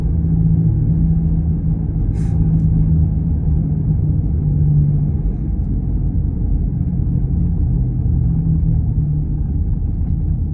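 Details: Driving with a bad wheel bearing: a low humming/droning over road rumble, swelling and fading, its tone changing as the car veers side to side.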